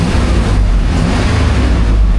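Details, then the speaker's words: Suburban after jump-starting, no service engine soon codes: deep steady engine roar under throttle with no stumble or miss; revs up higher and pulls cleanly. "Oh, it revs up higher."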